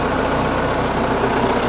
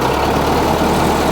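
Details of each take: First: Case 1845 skid steer diesel idling at its first start after reinstalling the hydraulic pumps, before adjusting the drive neutral stops (axles still turning). A steady, even low throb with no hydraulic whine. Normal idle, pumps sound healthy. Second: Case 1845 skid steer diesel after a hydraulic pump reinstall. At full throttle linkage the drone stays flat and won't climb, with no power. It reached full throttle at first start but no longer does. Cause unknown. Engine won't rev up.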